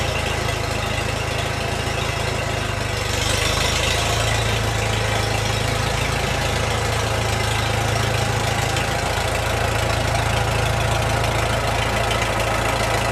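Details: Restored early-1950s Farmall Super M tractor: a steady, even low-pitched idle with a smooth regular beat and no knocks or misses; the engine is running healthy.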